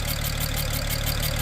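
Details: 2007 BMW 335xi revived from non-running, coil packs just replaced with used OEM units: uneven, stumbling idle with a faint puffing beat in the exhaust, engine rocking; definite misfire, possibly also an exhaust leak, injectors seem to sound fine.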